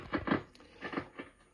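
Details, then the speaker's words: RME-69 communications receiver, recapped, RF and AF gain at full volume on band 1: irregular sharp crackles a few per second, absent on band 2; suspected arcing in the band-change switch wafer between RF stage and mixer. "and uh I'll disconnect that and I'm sure you can hear the crackling in the background there that's the rfnaf gains at full volume on band one switch to band two nothing band One it's crackling away"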